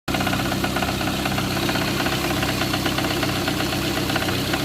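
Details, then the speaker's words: Idling engine with a sharp, fairly even knock about four times a second; the knock drops when the third cylinder is disconnected, so it points to one cylinder, cause not confirmed. "Үш ағыттым кетіп қалды ғой, азайып қалды. Осы дыбыс қой."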